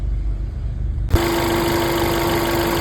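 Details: VW MK5 Jetta after timing, cam chain, balance shaft chain, guides and tensioner replacement, first start: short crank then even, steady idle with clean tone, no tapping or rattle; no check engine light, no leaks, normal idle.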